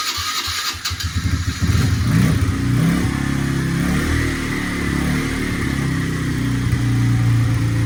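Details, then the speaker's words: Kawasaki KFX90 ATV after a top-end rebuild, first bench start on a 12 V booster with no chain fitted: cranks, catches and settles into a steady single-cylinder beat with crisp throttle blips; even firing, no knocks, solid engine. "Alright, so that's a solid engine."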